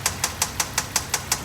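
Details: 2003 Infiniti FX35 3.5L with knocking: sharp, even metallic knocks five or six times a second over the idle. Teardown found a connecting rod with several mm play, bearing remains in the oil pan, and the piston hitting the head intermittently.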